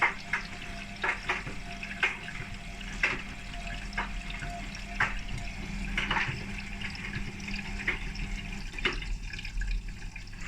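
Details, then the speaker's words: Nearly 20-year-old Hotpoint WMA32 washing machine after repair, starting program K (cold) with two hoodies, one with a zip: water sloshing with a sharp tick about once a second as the drum turns, likely the zip. "I don't understand why it's making that noise uh there is a hoodie in there with zip"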